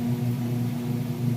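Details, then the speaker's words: Whirlpool washer entering the final spin as the water drains out. A low, smooth motor hum and drum rumble with no banging or scraping as it launches into a full-speed spin: normal spin-up. "Okay, and we're coming into that final spin cycle now. It's getting all the water drained out. You can hear that there. It's going to launch into a full speed spin."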